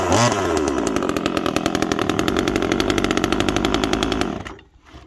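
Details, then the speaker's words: Timber Pro generic 25cc top-handle chainsaw stored three years with little fuel, first start: rough burbling uneven idle, blubbering rather than crisp, then dies out; sounds way rich, chain brake also acting odd. "this chain break something's goofy from the beginning on this thing okay but it sounds way rich"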